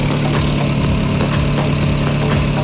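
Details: VW Saveiro turbo, turbocharged for about 6 months, after sitting almost two days: a valve noise at start-up went away and it now idles smoothly and evenly with a steady low hum and no top-end ticking or knocking; healthy.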